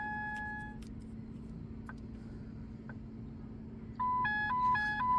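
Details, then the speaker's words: 2009 Ford Focus instrument cluster, on the bench after repairing dry solder joints: clean electronic chime tones step through a repeating two-note pattern, about two per second, over a quiet hum; normal chime test sequence. "and that will just go through the sequence of the different [Music] Chimes"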